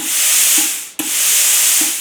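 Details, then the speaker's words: Arccaptain Cut 50 plasma cutter turned on, air set at 30 psi via regulator, amperage 30: two long steady high-pitched air hisses through torch, nothing rough or rattling; normal air flow. "So I have the plasma cutter turned on. I have it set at 30 psi."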